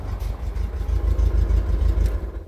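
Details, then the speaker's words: VW Beetle 1303 cabriolet, 1600 injection flat-four idling: low, lumpy idle with uneven puffing pulses; compression leak heard between cylinders and heads, where oil also leaks, plus suspected air intake leak at injectors, though ECU corrects and it runs well. "et alors écoute ici on entend l'aspiration écoute bien qu' prise d'air au injecteurs là et pourtant le calculateur corrige tout ça tourne super bien"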